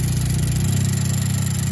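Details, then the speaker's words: GM LNF engine hard to start after refueling: EVAP purge valve unplugged yet still sucking tank vapor at idle, engine note shifting as the line is disturbed; purge valve stuck open, replacement planned. "so this purge valve actually is sucking fuel vapor from the tank constantly so if we pull this off this should be closed unless it's being commanded and it's unplugged and you can still hear that it's sucking"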